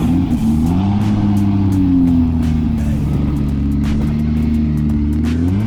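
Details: Fox body race car whose automatic gearbox was hurt at track testing: deep, strong exhaust note rising and falling cleanly through several blips, no misfire or rattle; engine healthy.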